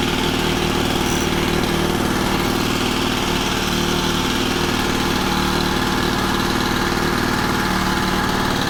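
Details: Honda FG110 with GX25 engine warming at a raised idle during new carb tuning: steady, even single-cylinder chug at fast idle, no misses or surging; running normally.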